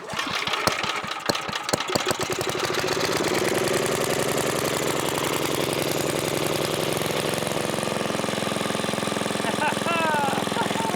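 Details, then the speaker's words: 1980s Onan generator after carburetor cleaned with carb cleaner, started on choke: catches after a few uneven pulls then settles into a steady even drone at constant speed; it was just clogged, kill switch works. "Oh my goodness, it works. Kill switch works. So yeah, it was just clogged up a little bit."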